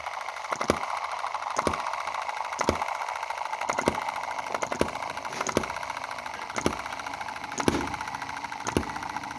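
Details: Chinese M19/EM2 hit-and-miss gasoline model engine after valve timing adjustment and carburetor, plug and mix needle work: sharp firing pops about once a second over a steady whirr, evenly spaced with long coasting gaps; timing right, runs strongly.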